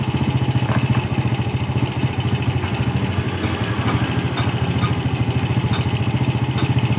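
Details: Yamaha Vega R motorcycle idling after its faulty carburetor was serviced and refitted; air filter cleaning and body covers still to go. A steady, even single-cylinder putter at about 3.5 beats per second with no stumbles or hunting; normal clean idle.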